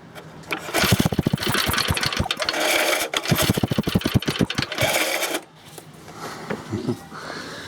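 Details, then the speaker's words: Briggs & Stratton 2 hp lawnmower engine, after cleaning the points: it fires and pops along for about four seconds, then dies abruptly. The owner suspects the grounding wire vibrated against the carburetor body. Engine cuts out after starting. "I think I might figure out I figured out why I died there's a little of grounding wire and there and the grounding wire was up against the end there body of the carburetor I think it just vibrated itself over that way"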